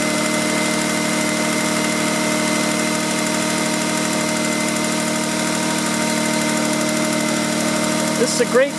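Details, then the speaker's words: Car with 230,000 miles after a fuel filter change; idle problem fixed earlier by cleaning the throttle body, IAC and MAF: steady, even, smooth idle with no misses or knocks; normal idle. "is a great car, great engine, 230,000 miles on it. Runs like a top other than the problem I told you about."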